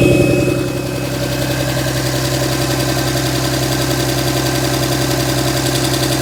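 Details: 2007 Dodge Ram 5.9 Cummins diesel rough idle, uneven clatter with a wandering beat about three and a half pulses a second; began a month ago, intermittent fuel rail pressure, MAP sensor and overboost codes; owner asks about excessive blow-by; cause unclear.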